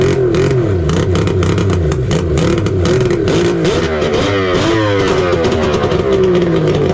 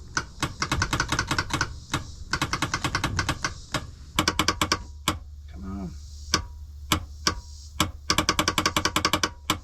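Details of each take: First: 1999 Kawasaki 900 STX jet ski two-stroke after piston replacement following lock-up, first start without water hooked up: loud continuous buzz, revs rising and falling, no knocking or seizing clatter; sounds healthy. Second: 1999 Kawasaki 900 STX jet ski after piston replacement, cranking attempt on lead-acid battery: bursts of rapid sharp clicks with no cranking, engine never turns over; bad starter.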